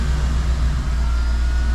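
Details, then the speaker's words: Mercedes G-Wagen after repair, fired up and idling deep, smooth and even with a steady rumble, no misses or knocks; healthy idle. "all right engine sounds good nice and smooth fully assembly all look straight sounds good"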